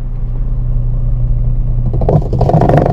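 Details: Washing machine motor hums steadily but drum won't turn: when drum is held, rough uneven clattering sets in as the motor pulls; belt somewhat loose.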